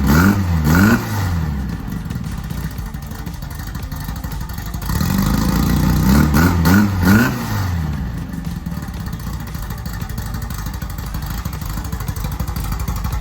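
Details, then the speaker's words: Rally VW Beetle built for circle-track racing, fresh 1776cc air-cooled flat-four with windage tray, run in neutral. Blipped twice, revs climbing and dropping cleanly with steady even idle between: normal running and revving. "would you like to run this engine Nick so we can hear it make sure it's in neutral so we don't run ourselves over"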